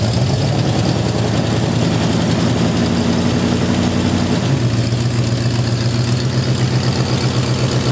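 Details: Jeep M715 army truck with fuel injection system removed: low, fairly steady idle rumble that settles lower partway through, no knocks or misfires; normal idle.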